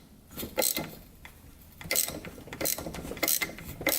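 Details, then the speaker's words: 2007 Yamaha YFZ450 quad bought in pieces after sitting a while, crank turned by hand with a 17 mm socket: slow, irregular gritty clicks and scraping, sounding crunchy inside; cause not confirmed. "hopefully it rotates you can hear a little crunchiness"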